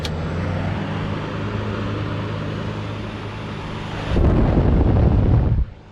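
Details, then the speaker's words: Kool King window air conditioner running on low fan at first startup after cleaning, case removed so the blower's steady even whir is audible, no rattle or scrape; normal fan operation. "because the case isn't on you can actually hear the whirring sound from the flower"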